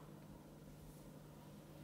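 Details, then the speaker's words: Medion Erazer Engineer P10 MD35077 gaming desktop (Intel Core i5-10400F, RTX 3060 12 GB, 16 GB DDR4) at first boot on the language-selection screen; not completely silent, a very quiet steady fan hum with soft airy hiss, normal idle fan noise. "On l'entend un peu. Hein. Écoutez. Là, on a un ventilateur là. Un ventilateur là."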